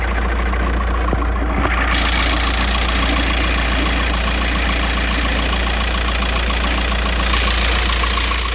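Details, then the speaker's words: VW bus at idle: steady idle with uneven ticking chirp three to four times a second from the engine bay; owner suspects belt lacking oil or a tensioner roller with too little tension. "aber ja irgendwas komische Geräusche kommen aus dem Motorraum ja es ist wohl irgendein Öl was auf dem Riemen fehlt oder die Rolle hat zu wenig Spannung oder irgend so ein Gedöns halt ne"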